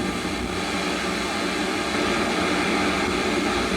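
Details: Harman Kardon Eight Twenty (820) stereo receiver, FM tuner: after grounding to the tuner cap, reception is slightly better. Steady static hiss with faint stations underneath. IF board voltages check out, and resistors and transistors in the tuner assembly tested good; cause unconfirmed.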